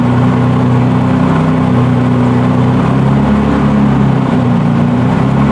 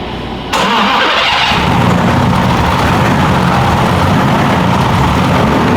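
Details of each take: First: BMW E46 with turbocharged M52 (Precision 6466 turbo), just after first start following engine build: loud steady drone, even low rumble, no knocks or misses; good oil and fuel pressure, normal running. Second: BMW E46 with M52 engine and Precision 6466 turbo, first start after engine build, not run in a long time; air heard in the fuel line while priming. Starter cranks steadily, then catches into a rough, uneven run; good oil and fuel pressure afterwards.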